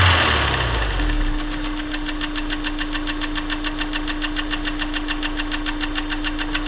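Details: Honda S2000 warm startup: sharp, even tick-knock about three per second at idle, first suspected rod knock; teardown found cylinder 1 oil squirter failed, warping the cylinder and scraping up the piston so it slaps.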